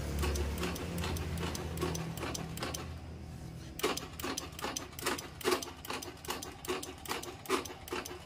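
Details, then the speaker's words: Honda Beat carburetor scooter, battery tested normal: pressing starter gives sharp dry clicks two or three a second from the starter relay area with no crank; weak starter relay in the CDI suspected. "ini ya bisa kita dengarkan suara starter hanya bunyi cetek cetek cetek cetek nah seperti itu ya dan ini sangat keras sekali suaranya terdengar di bagian otomatis starternya"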